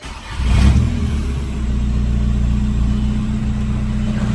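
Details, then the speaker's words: VW Jetta TDI diesel after AC compressor clutch and noisy bearing replacement; quick crank, short rev flare, then steady idle with no whirring or grinding from belt accessories; compressor noise gone. "And there we go. No more noise from the AC compressor. Much better."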